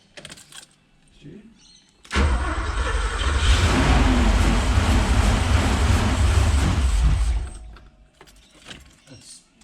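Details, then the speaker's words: Porsche 928 4.7 L K-Jetronic V8 after sitting 20 years: catches and runs roughly about five seconds with a deep uneven rumble, then dies; runs only on starting spray. "so running on it's just on spray still just on spray yeah so we're getting some fuel in there from this"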